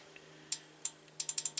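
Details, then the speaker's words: Relay in a 2017 GMC Denali X50A underhood fuse block, bench-tested with 14 V on the coil: crisp, solid clicks, several quick actuations, contacts showing about 2 ohms continuity; relay switching properly. "for one you can hear the nice solid click we got."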